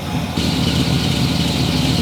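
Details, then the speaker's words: Project boat's first engine, in a boat that had sat for a while, started up: catches and settles into a steady, even run with a smooth rumble, no knocks or misses. Normal running. "It's a runner. Okay. Should we try the other engine? I'm so pissed. It sounds good."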